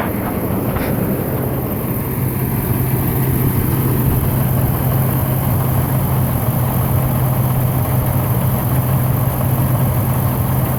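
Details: 2005 Dodge Dakota 4.7L with hard start and stalling: steady low idle drone with an uneven, lumpy pulse underneath, a misfire of unknown cause.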